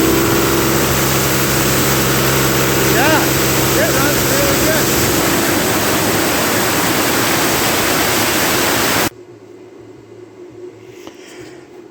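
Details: CompAir mobile diesel air compressor being revived, radiator neck broken: steady even drone at full speed under compressor load, no knocks or misses, then drops away; runs well under load but quits when dropping to idle.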